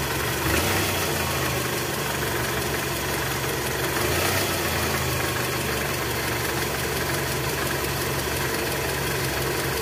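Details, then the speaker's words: 2004 Toyota Camry, 2AZ-FE 2.4 L, 98,000 km, cold engine with AC on in R or D: light, fast rattle from low on the engine near the sump, fading when warm; balancer shaft found worn and loose. "Jadi, jika mesin sudah panas, suara cenderung berkurang dan menghilang, teman-teman. Ini menunjukkan bahwa poros penyeimbang sudah aus dan longgar."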